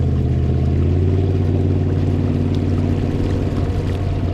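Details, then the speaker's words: Minn Kota Riptide Terrova 24V 80 lb thrust trolling motor, under a year old, at full speed (about 3 mph) on a 20-ft aluminum boat: loud, steady low drone with a pulsing hum; motor head vibrating, hull transmitting the vibration. "The aluminum transfers noise more, which I can feel the vibration in the whole boat. You can see, I don't know if you can see it, but that head is just vibrating."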